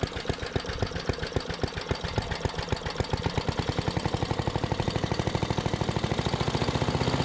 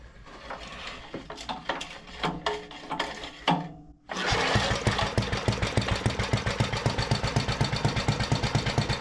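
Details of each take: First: 1973 Giant Vac walk-behind leaf blower with Briggs and Stratton single-cylinder engine, revived from scrapyard: thumping climbs in speed but levels off early; owner doesn't think it reaches full throttle while blowing a small pile. Cause unconfirmed; air deflector still needs welding. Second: 1973 Briggs and Stratton-powered Giant Vac leaf blower, long unused and apparently seized, restarts after clattering without choke and settles into a strong, steady, even beat, pumping lots of air; throttle linkage still sticky; runs normally.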